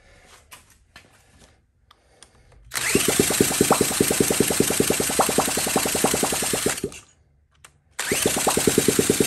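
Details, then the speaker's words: 1979 Honda Z50, start attempt with fuel going through the carb: quick uneven popping for a few seconds, then dies and catches briefly; fires but won't keep running. "sounds like it wants to oh took the nut off that might be all we get"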